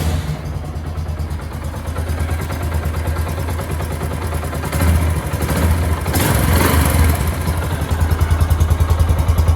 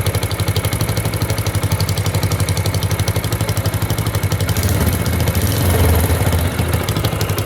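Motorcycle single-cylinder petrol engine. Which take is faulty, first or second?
second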